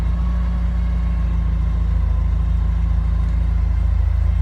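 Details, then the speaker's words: Porsche 944 started after about three months sitting, battery reconnected: smooth, even low idle rumble at about three and a half beats a second, no knocks or misses; normal idle. "I've connected the terminals today, kicked it over, and as you can see, it's running beautifully."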